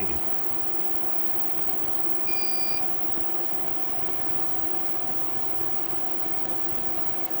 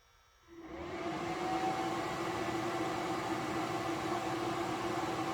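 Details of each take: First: 3000 W inverter tested on a 400 W HID light and cookers: steady fan hum with one short high-pitched beep as the load hits about 3100 W, an overload warning while it still carries the load. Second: 3000 W Reliable inverter powering a 400 W HID light, about 235 W drawn, 126 V, 59.6 Hz output: cooling fan spins up to a steady whoosh with even hum under load; normal fan operation.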